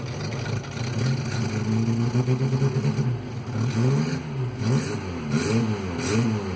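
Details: Citroen Visa 11 RE petrol engine idling and revving with a rough, puffing exhaust note from an exhaust leak present when bought.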